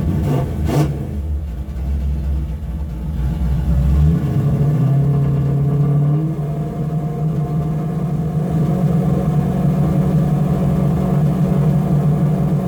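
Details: After a further mod to the primary carburettor circuit ended months of trouble, the engine rumbles low, then rises cleanly to a steady higher pitch without stumbling; throttle response improved, and it revs up freely and crisply.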